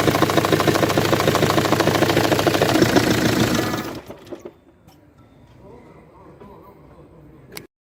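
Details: Jaguar X-Type 2.0 diesel with Ford engine, idling: regular, fairly fast knock about three per second, then shuts off; noise from a badly damaged cylinder head that must be replaced.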